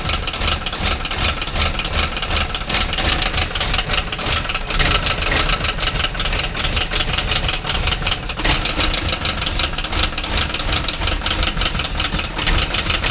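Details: Quick, evenly spaced tapping knock over a steady engine idle throughout; abnormal engine knocking, cause not identified.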